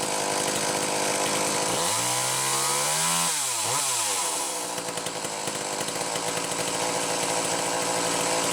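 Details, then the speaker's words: McCulloch Power Mac 320 chainsaw with original auto-sharp system, test run after the pulse hose was found off and fixed: revs up to a crisp scream and drops back to a steady, even idle, no stumbling or hunting; normal running. "so anyhow there you go a good running power back 320 with the original auto sharp"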